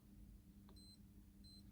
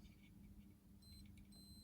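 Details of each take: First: Yamaha FC5 keyboard sustain pedal cable checked: faint hum with a high beep cutting in and out twice as the cable is touched, showing a broken conductor in the pedal cable. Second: Yamaha FC5 keyboard sustain pedal opened, internal switch checked with a continuity tester: faint steady beep while contacts touch, dropping out when they open; switch works properly.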